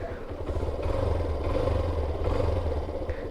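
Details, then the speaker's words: Suzuki SZR 150 after timing chain repair and gasket replacement: even low engine drone holding steady, no knocks or rattles; noise formerly heard on first start gone, runs smoothly again. "Wala na yung ingay na naririnig ko pag unang andar. Okay na uli. Smooth na ulit tumakbo."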